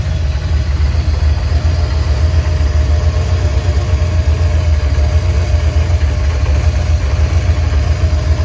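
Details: 1987 Camaro Z28 V8 revived after nearly 30 years parked, running with alternator belt removed and only water pump driven, timing only rough set: low steady V8 burble, even idle, no tapping or misfire; good oil pressure, sounds healthy.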